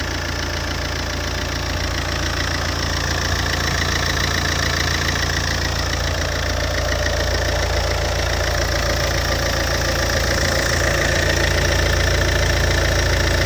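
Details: Alfa Romeo 147 JTD 140 diesel idling from cold. Steady, even knock about three or four times a second over the engine note. Cold-engine knock, cause unknown.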